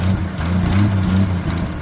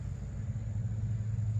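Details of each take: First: 1981 Jeep CJ7 sitting over 12 years, oil pressure confirmed; catches quickly, settles into an uneven low rumble with a couple of blips; starts after storage, exhaust leak noted near a junction. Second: 1981 Jeep CJ7 started after sitting over 12 years: low, uneven idle rumble with a soft puffing pulse; exhaust leak seen at a pipe junction, to be tightened.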